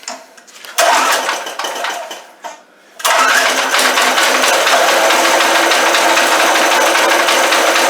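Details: Old generator, stored about 10 years, after a stuck carburetor float was freed by tapping to stop a gas leak; first start: a couple of rope pulls, then the small engine catches and settles into a steady, even run; normal running.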